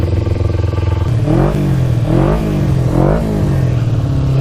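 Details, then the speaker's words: 2000 Kawasaki Ninja 250 with Yoshimura pipes, just started (finicky start button, fuel on reserve) and warming up before a ride: smooth idle then four quick throttle blips rising and falling cleanly, no stumble or rattle; normal warm-up idle. "Sounds pretty good now."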